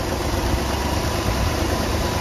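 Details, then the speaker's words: 1966 Ford Thunderbird, first start in years after engine reassembly: steady low idle rumble while the idle screw is adjusted with a screwdriver; owner says it wouldn't stay idling off throttle, better after adjustment; unstable idle. "idle adjustment that helps it just wouldn't stay idling when I let off the groove it's better"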